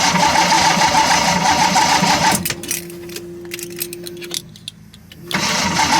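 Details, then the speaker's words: 1979 AMC Spirit AMX freshly swapped to EFI, targeting an 850 rpm idle: it runs with a fast even tick, stalls on its first test drive before leaving the back lot, then restarts after about three seconds. "what we have here is a heat soaking starter problem"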